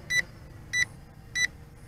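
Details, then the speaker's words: Bayangtoys X16 brushless quadcopter in flight with headless mode switched on: short high beeps repeat evenly about every 0.6 seconds over a faint motor hum. "so let's try the Headless mode pressing this button here yep that annoying beeping"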